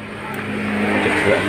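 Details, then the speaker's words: Honda Vario CW 110 scooter that stutters and nearly stalls on bumpy roads; owner suspects a faulty side-stand switch rather than the plug. Short steady idle, low even hum, no misfire or stumble, normal idle. "ya motor iniya bagus dan tidak tidak ada permasalahan ya"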